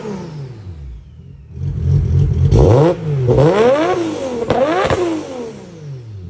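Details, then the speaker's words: Nissan R33 drift car, RB25 turbo engine after fitting a new 6Boost turbo manifold, before dyno tune: clean revs rising and falling smoothly with a slightly deeper exhaust note than the old manifold, no misfire or rattle; normal free revving. "I think it definitely sounds a little bit deeper."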